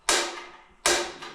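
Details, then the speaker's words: Propane shop heater at its first startup: sharp igniter clicks with no flame while the line hisses out air that was trapped in it. The system needs purging before the pilot lights, and it lit shortly after. "this first time it usually takes a while to purge and that's what you're doing is you're purging the system"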